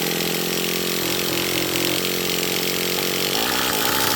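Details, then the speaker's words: Traxxas Revo 3.3 nitro RC truck, high-speed needle leaned one full turn: engine screams up to high revs almost instantly with a thin sharp buzz, shifts barely audible; running lean. "Did y'all notice the difference between how quick it accelerated? Like you almost can't even hear it shift. It's revving up so quick."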